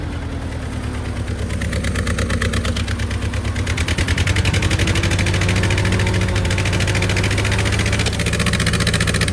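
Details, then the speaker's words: 1970 International 434 tractor after distributor cap, points and condenser repair, with timing just corrected by turning the distributor (it was spitting before): even, steady firing at a slow idle that revs up cleanly with no misses. Smooth idle. "all right that might be just where I want it seems to run pretty good crank the autle down Auto's pretty nice rub her up there's a rev up pretty good"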